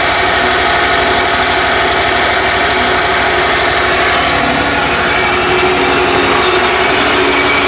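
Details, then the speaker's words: 27hp Kohler twin-cylinder mower engine, had no spark, now running after cleaning corroded ignition coils and flywheel magnet: steady, even thrum with no misses or surging; firing properly. "so definitely got good spark and it runs now so I'll demonstrate that for you"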